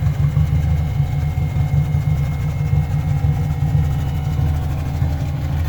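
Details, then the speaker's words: Toyota Corolla AE86 with swapped KA24DE from a 240SX, turbo manifold as downpipe, probably sat about a year; started on fresh fuel via new fuel lines; deep, lumpy, uneven idle, a little rough, likely needs running to clear up. "Probably needs to be run for a second to clear up. Yeah, it's a little rough, but it's probably been setting for like a year."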